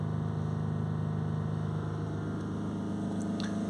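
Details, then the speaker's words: Range Rover Sport 3.0 TDV6 diesel with overboost fault from sticking throttle flap and full DPF, revs held about 3000 rpm for 5 minutes during regeneration: even drone drifting slightly up, no misses or knocks; DPF pressure falling from 8 to 5 kPa. "So we're just going to hold the revs here on about 3000 RPM for around 5 minutes."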